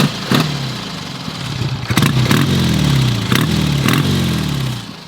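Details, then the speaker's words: 1953 BSA Golden Flash twin, kick-started and warming up: uneven, lumpy twin beat surges and sags, then fades as the engine stumbles and dies; kill switch also only grounds half the bike. "because the bike was dying out I'm gonna turn this off though so you can hear me"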